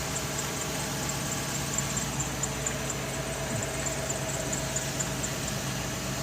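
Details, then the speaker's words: Chevrolet Express at idle with a thin high chirping squeal repeating several times a second from a worn drive belt; water squirted on the belt is used to rule out a bearing. "We got a Chevy with a belt squill."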